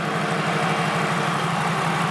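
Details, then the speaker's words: Turbocharged car at idle after a boost-controller test spiked to about 15 psi: lumpy idle with a regular stumble and uneven exhaust pulses; misfire from a dead ignition coil, confirmed by swapping coils between cylinders. "so basically what that means is coil to the it died we switched coil to from cylinder three to two cylinder three was dead at first"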